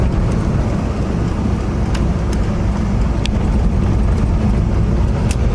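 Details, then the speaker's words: 1979 Chevy G20 van, V8, first drive after sitting 35 years, block sealed and JB-welded, carburetor, distributor cap and rotor addressed: steady, even drone under road noise, no more popping or spitting. "Yep. It's not popping and spitting like it was before."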